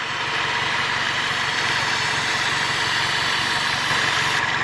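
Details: Toyota Corolla with lean code P0171, owner suspects PCV valve: carb cleaner sprayed around the aluminum intake manifold, idle stays smooth and even with no speed change or stumble, so no intake leak at this spot.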